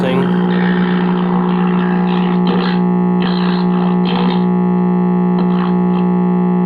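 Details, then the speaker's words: 1952 RCA 1X52 five-tube AM radio, before repair: loud, steady low hum drowning the set while a faint station plays behind it, suspected to be dead filter capacitors. Replacing the capacitor later revealed silver mica disease crackle. "so let's plug it in and listen to it home [Music] oh yeah I'm mistakable filter cab home well we are getting a station behind the home so that's promising"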